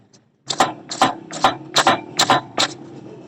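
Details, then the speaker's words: Honda CD 70 2025-model motorcycle, front end pumped: sharp clunks about twice a second from the front fork shocks. The noise comes from the front shock absorbers, which need repair, reassembly and tightening. "तो इस तरीके से आवाज आए तो समझ लें इसके फ्रंट शॉक है ना उनको ही रिपेयर करना है।"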